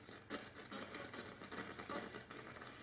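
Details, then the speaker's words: Mid-1960s Arvin 36R07 AM/FM radio tuned on FM between stations: irregular crackles and scratchy bursts over faint hiss while turning the dial; AM is fine, and the owner suspects dirt in the tuning capacitor, not confirmed. "Hear that noise as I tune it? That's how it feels to use. Like a crackling noise almost. You can really hear it now when there's no stations."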